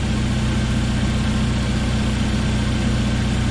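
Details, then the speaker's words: 1997 Jeep Wrangler TJ 2.5L four-cylinder just after engine rebuild, early break-in: steady even idle with a smooth low hum, quiet and tight, no knocks or ticks. "Man, she sounds good."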